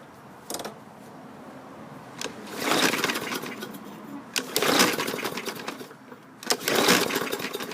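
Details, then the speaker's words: 2015 Yard Machines 21" mower, 550E engine, poorly maintained with low oil, dirty filter and contaminated fuel, given starting fluid: pull-cord tugs, three short firing bursts that fade within a second; owner suspects dirty carburetor, water in bowl or plugged jets. "You heard it fire off there momentarily, and then it crapped out. Indicative of a dirty carburetor."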